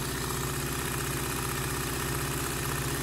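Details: Singer Simple front-load-bobbin sewing machine during service, after adding lubricant to the bushings and running it: even, quick low mechanical thrum at constant speed, no catching, squeal or clatter; running freely.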